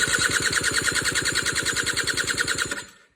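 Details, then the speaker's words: Suzuki LT80 two-stroke ATV after a top-end rebuild with a new cylinder and piston: rapid, evenly spaced compression-test cranking at about 120 psi, on target; normal compression. "So we're now at about 120 psi, give or take, which is where we want to be."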